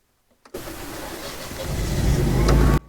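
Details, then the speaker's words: Generac standby generator on automatic retry via the transfer panel, heard through open cellar windows: silence, then it catches with a steady low drone building slightly. A clean start, and the house is now on generator power. "there it goes there it is now the house is on generator power"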